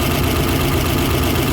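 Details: Uneven, lumpy idle with an irregular loping beat under the exhaust note on a 1955 Ford that had become hard to crank; one cylinder isn't firing, traced to a bad spark plug wire.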